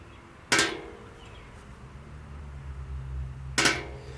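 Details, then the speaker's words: 1964 Ford 4000 diesel tractor injector on a pop tester, nozzle pressure adjusted via screw; two crisp pops with short spray hiss, within the 50 psi margin; clean healthy nozzle opening. "So that one's good because we have that 50 psi margin."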